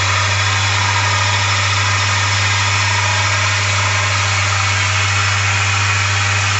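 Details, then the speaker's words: 1 hp Chinese mini lathe after headstock end-play adjustment: smooth, constant motor hum with a steady low note, no knocks or rattles; spindle runs evenly and reaches 1900 RPM versus 1700 before, adjustment a success. "so it runned up or ran up to 1900 RPM the best I could get out of it before was 17. so looks like my uh my adjustment here was a success"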